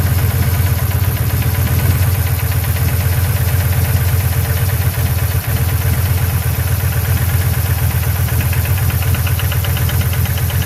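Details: Hemi V8 with new cam and lifters idles rough with a rhythmic knock about four times a second; VVT solenoid replaced but cylinder 6 still misfired, and a valve pushrod was found unseated.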